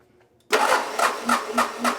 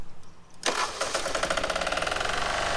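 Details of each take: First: Military Onan MEP-016B 3 kW single-cylinder diesel generator, non-runner, starter fed directly at solenoid: click, then slow heavy cranking with compression thump about every quarter second, fan turning, never fires; cranks but no start, fuel and injection flow unchecked. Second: Onan MEP-016B 3 kW single-cylinder military diesel generator, revived and started outdoors to warm up: a quick crank that catches within a second, then an even thump around 210 per minute. A clean, healthy idle.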